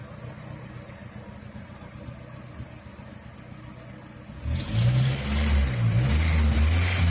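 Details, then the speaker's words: Car after applying paraffin candle wax to the alternator belt to cure a cricket-like chirp: quiet smooth idle then a clean rev with no chirp or squeal; belt noise fixed, normal running. "Bom, galera, resolveu, tá? Acabou aqui no chato, tá bom?"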